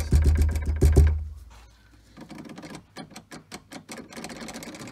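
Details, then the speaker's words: Tesla Model 3 rear left door shaken, giving quick plasticky clattering bursts near the latch; cause is the loose emergency release sitting in an in-between position; fix is holding it fully in or out. "it turns out it's this so when the door rattles you get that noise"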